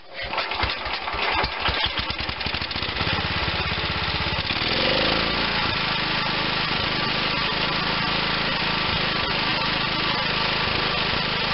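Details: Bolens Husky G10 1055 garden tractor's Tecumseh HH100 single-cylinder engine, repaired and reinstalled, cranks, catches and settles into a steady even chug with no misses or knocks: running normally.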